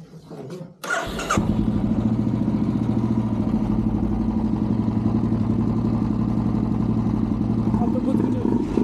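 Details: Royal Enfield Classic 350 BS6 at the service agency: cranks briefly, then catches into an even, steady single-cylinder thump with no misses; normal start and idle.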